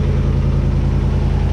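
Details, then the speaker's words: Land Rover's rebuilt engine on its first start-up; low, smooth, steady idle, no knocking, runs sweet and stable. Normal idle. "no knocking no nothing run sweet um not moving"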